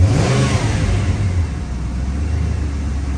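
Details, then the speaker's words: 1994 Mustang GT 5.0 after installing an idle air controller with restrictor plate, idling around 850–900 rpm with every accessory on (power steering, lights, high beam, AC, radio): revs fall briefly, then hold a smooth steady rumble without hunting; normal idle, no rev hang. "We're just going to let it idle here for 2 minutes. steady. We got every accessory on, hitting the power steering, lights, high beam, AC, radio. And it's idling very nicely right now."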